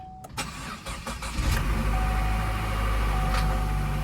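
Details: Salvage-auction Chevy Cruze, bought sight unseen, with a busted radiator: starter cranks in a few quick pulses, then the engine catches and settles into a smooth, even idle; normal start.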